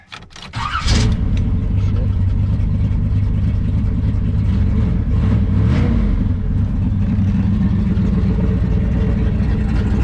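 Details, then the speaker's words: 1992 Isuzu Amigo with about 450 hp 454 big-block V8 (roller rockers, cam, Holley 750), sat outside unrun for years: catches after a short crank, then a steady, even, deep idle with no knocks or misses; normal start. "got a pretty good sound this thing's got airbags and stuff"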